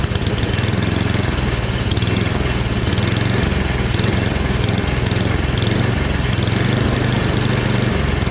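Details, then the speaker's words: Free rebuilt snowblower, transmission in medium: smooth, even mid-throttle drone with a steady low beat and no surging or knocking; small engine running normally. "Yeah, I'm gonna call that a success, you guys."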